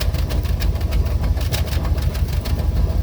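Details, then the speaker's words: Smoking LS engine with a cracked radiator, running without coolant after trans fluid was added to free a suspected stuck hydraulic lifter; exhaust heard at the rear through a Flowmaster. Steady deep idle rumble with a regular pulse about three a second. Owner suspects a dead cylinder or blown head gasket. "So it's got a bit of a rumble to it. It's got a flow master installed,"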